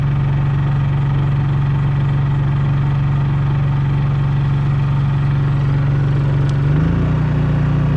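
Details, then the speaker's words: Honda EU3000is inverter generator in eco throttle: steady low hum, then near seven seconds pitch steps up slightly and holds as the trailer AC compressor comes on, revving partly, not full; normal load response. "It's it revved up a little bit, but not full, because the AC finally come on."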